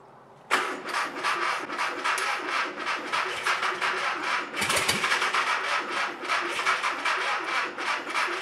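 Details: Mystery air-cooled VW flat-four, fed by hot-wired coil and push-button starter after points regapped and timing reset for no spark: fast rapid starter churn for several seconds with brief stumble, not catching; hard starting.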